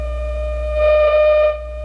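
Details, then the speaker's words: 1951 Zenith Cobramatic in phono position at first power-up: a siren-like high whistle with overtones swells for about a second over hum. The pickup-head coil's oscillator has drifted and needs its tuner adjusted. "Sounds like a siren. Let me turn it off and tell you what's happening. Keep in mind that when the radio is in phono position, this coil that's in this head forms an oscillator, and there's an oscillator tuner for it right,"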